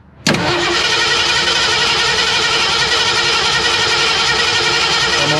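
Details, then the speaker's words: 1961 Ford Unibody truck with 1968 Mustang 302 and C4 automatic, sitting 29 years, premix and Marvel Mystery Oil down the carb: fast steady starter whir for five seconds, no firing; cranks, no start, owner suspects it needs more fuel. "nothing oh not even a cough that time"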